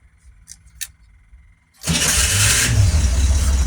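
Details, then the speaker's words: Corvair cold start: gas pedal pumped 3-4 times, faint electric fuel pump clicking, about 10 seconds wait for the carburetor bowls, then a quick crank and catch into a steady, even idle. Normal cold start. "Pump the gas pedal 3-4 times, turn the key, and I listen for the clicking of the electric fuel pump, and I wait about 10 seconds for the gas to vaporize in the fuel bowls and the carburetors."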